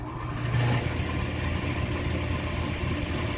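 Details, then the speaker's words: Table saw after tightening a loose, flopping pulley that caused a loud rattle: a steady, even low hum with no rattle or flapping, now much quieter and running smoothly. "yeah that's much quieter so success"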